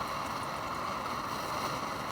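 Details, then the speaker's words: About 65-year-old army mountain stove (owned since 1972), running with water boiling within five minutes of starting: steady, even hissing roar with no sputter or surging; normal clean burner roar. "see even when it's 65 years old you can still work like a dream"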